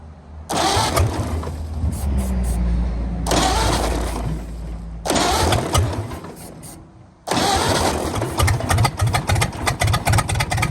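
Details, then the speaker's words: 1929 Ford Model A, abandoned 75+ years, started on starting fluid: cranking, then a fairly even beat with an occasional sharp pop from the exhaust valve. "well I got to say she's running pretty good it is every now and again popping out that exhaust valve again but nothing too major"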